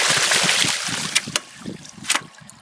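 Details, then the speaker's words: Blake Hydram No. 3.5 with 2-inch drive pipe, bought new 1939: water rushing, then sharp single taps about a second apart as the valve shuts, each closing sending a pressure pulse through the pipe; normal ram pump valve closing tap. "The whole thing changes. So that's actually what is happening. Every time the valve closes, you're causing such a pulse."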